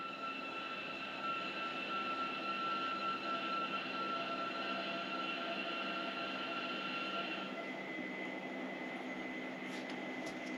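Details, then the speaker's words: 1968 Pontiac Firebird with HEI ignition and a mild cam, after exhaust, cooling and Holley EFI upgrades: at key-on while the base tune uploads, a steady high whine drops to a lower note as the electric fuel pump primes normally. "So it's uploading our bass tune. As you can hear, the fuel pump's kicking on."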